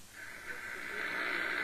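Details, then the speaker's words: Realistic DX-200 shortwave receiver, 31 ft vertical antenna, 3:30 pm Clearwater Florida: loud steady hiss across band, no station; S-meter pegged by noise, not signal; poor HF conditions, possibly dry-air static. "I'm trying to receive stations look at that estimate is just peg and that's not because of the signal strength let me turn the volume back up for a second"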